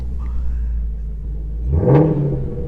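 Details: Salvage Ford Mustang GT350 V8 at auction, warmed up about five minutes, active exhaust on: deep even idle, then one quick clean blip rising and falling smoothly; normal rev.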